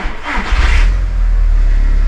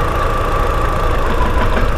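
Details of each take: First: Audi TT Mk1 1.8T at start-up: brief starter whir, then it catches at once and settles into a smooth, stable idle of about 900 rpm with no stumble. No engine management light and no OBD2 codes before a coil pack is unplugged. Normal engine start. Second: Audi TT Mk1 1.8T idling at about 900 rpm with no fault codes, then one coil pack unplugged: revs drop and can't hold steady, giving a lumpy, uneven idle with irregular thumps and visible engine shaking from the misfire.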